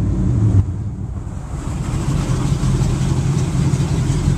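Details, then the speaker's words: Inboard boat engine at dock, heard from captain's chair with engine compartment closed, after 3,000 RPM: revs drop to a low, even, steady idle rumble with no knocks or misses; normal idle. "there you go that's your idling noise"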